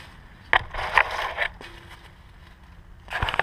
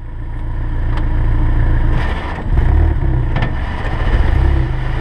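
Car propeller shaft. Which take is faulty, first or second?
first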